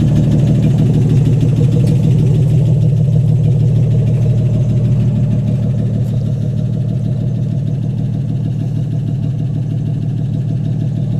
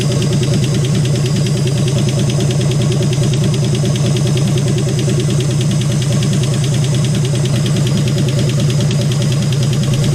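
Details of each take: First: AMC 199 engine in a 1951 Hudson Hornet, just reassembled after a cylinder head rebuild and started: steady, even low idle pulsing about three beats a second with no ticks, knocks or misses; normal idle, running good. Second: AMC 199 engine in a 1951 Hudson Hornet after head rebuild, idling with oil leaking and burning: loud idle with quick steady ticking in time with the engine; valvetrain ticking, suspected excess clearance from worn valves or lifters, not confirmed.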